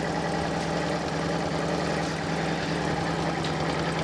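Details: Fiat Panda 4x4 Sisley after throttle and mixture screw adjustment brought exhaust gas down to about 0.5 ppm: small petrol engine holding a smooth, even idle with a steady hum and no knocks, misses or hunting.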